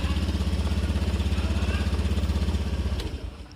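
An even, steady putter at about sixteen firing beats a second with no misses, then winding down; the engine runs normally.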